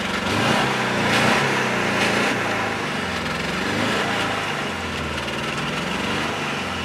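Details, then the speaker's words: $50 car running again after coolant problems: rough loud petrol idle with raspy puffing exhaust from a massive exhaust leak; idle also needs adjusting, probably a dirty throttle body. "So we have a massive exhaust leak, as you can probably hear, but it's running."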